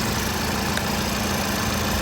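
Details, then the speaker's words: Dirty Hyundai at a salvage auction; no transmission dipstick could be found. Even, steady idle hum with no knocks or misses; it runs relatively well: normal idle. "boy wow she's a dirty girl he's a real dirty girl seems to run relatively well though"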